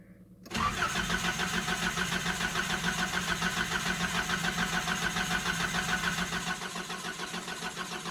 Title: Nissan 720 cold start. needs new fuel pump i think wont start very easily.